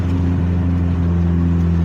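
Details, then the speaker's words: 1988 Honda CRX Si after a temporary muffler patch repair: steady low, even exhaust drone while cruising, no hiss or rasp of a leak; noticeably quieter than before, exhaust sounds sealed. "It's definitely not as loud. Maybe this is the way that exhaust is supposed to sound."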